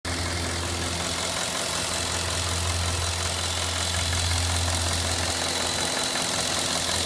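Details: Cadillac Northstar 4.6 V8 at steady hot idle: faint, loosely regular tick about three per second over the hum, occurring intermittently and only when hot; cause not pinned down.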